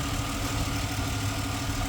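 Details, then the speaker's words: 2010 Ford Explorer 4.0 V6 with P0446 and P0461 codes; seller warns of a worn transfer case and an unidentified noise. Started right up, with a smooth, even idle and a steady low rumble, no ticking or knocking. Normal idle. "Sounds like it's doing what it's supposed to be doing. Started right up."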